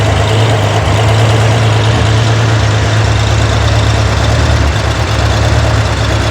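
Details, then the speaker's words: Corvair engine on a run stand during running valve adjustment: heavy low idle that stumbles and wavers unevenly after the adjuster was tightened a little too fast; rough idle from a valve held open until the lifter bleeds down. "That was a little fast. You can hear it struggling."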